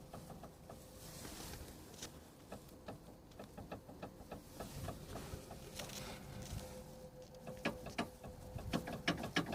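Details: Kia Rio 2 JB FL suspension knock: uneven hollow little knocks and clicks in clusters as the car rolls, from worn sway bar (stabilizer) bushings and end links.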